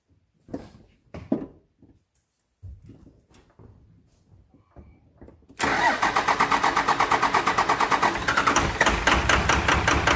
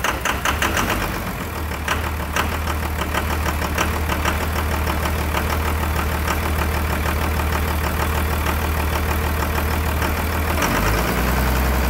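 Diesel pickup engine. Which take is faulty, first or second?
first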